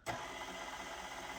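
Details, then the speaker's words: KitchenAid tilt-head stand mixer after replacing the bearing bracket, reassembled and plugged in: even motor hum with light gear whir, no low wobble or rumble, running smooth; speed control plate may need tuning if not hitting all speeds. "i think it definitely does it's a lot of that the lulu is out of there so it is running pretty smooth now"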